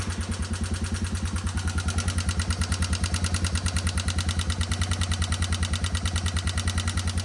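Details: 1989 Yamaha Moto4 200 ATV revived after sitting 15–20 years, idling briefly before a valve check: a sharp, regular tick-rattle about three times a second from the top end; cause unknown, valves suspected first; top-end ticking.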